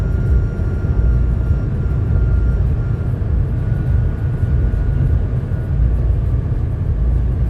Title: BMW X5 G05 crazy making noise above 200 km/h